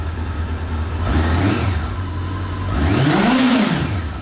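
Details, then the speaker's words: 1989 Honda CB-1, not fully warmed up, no choke: two quick blips in neutral, each bringing a clean whine rising and falling with revs over a smooth four-cylinder note; normal gear-driven camshaft whine, louder in gear. "But let me go ahead and give it a few revs to let you hear how it kind of whines a little bit. It really whines when you have it in gear."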